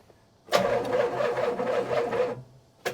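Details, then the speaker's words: 1977 Pontiac Can Am, first start attempt after years sitting, timing adjusted, jump pack connected: sluggish dragging starter whir that never catches; weak battery. ">> Yeah, I think our battery is weak. Good lord."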